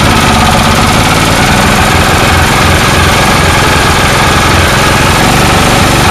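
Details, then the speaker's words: Snowblower single-cylinder engine with non-adjustable carburetor, running only with air cleaner off: loud chug swelling and sagging; surging, owner suspects carburetor sticking like a float, floods with air cleaner on. "it's like the carburetors stuck sometimes stuck up not stuck at other times like a float"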